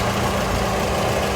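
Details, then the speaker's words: 1982/83 Ford Orion Mk1 1.6 Ghia with Weber carburettor, stock engine, warm, bonnet open, electric fans just kicked in: steady, slightly uneven idle with faint fan whir; ticks over acceptably, possibly due a tune-up. "Again, it's ticking along. Inner wings are all good. The gearbox is clean."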